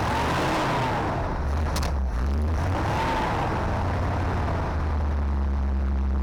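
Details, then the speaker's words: 1970 Chevy C20 dump truck, sat 20-30 years, first start after fresh gas: deep, steady low rumble with an even beat, no misses or surging; old V8 idles smoothly, no fuel pump leaks, normal idle. "no way man that is running way too good"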